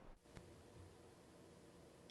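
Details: Universal Audio Apollo X6 with Sennheiser MK 600 microphone, phantom power off: faint even hiss, occasional tiny tick, no buzzy digital edge, about 10 dB lower; normal noise floor (unit's phantom noise later traced to bad PGAs).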